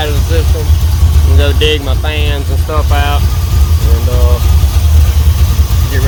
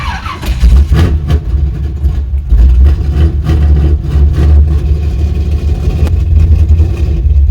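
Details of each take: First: Chevrolet C10 V8 idling after refueling the carburetor, about five minutes running: deep, even, steady idle rumble; normal idle. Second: Chevy C10 V8 with carburetor, started with the fuel pump on: rough and reluctant to idle, kept alive with throttle. Idle may be set too low, so it is being idled up; cause unconfirmed.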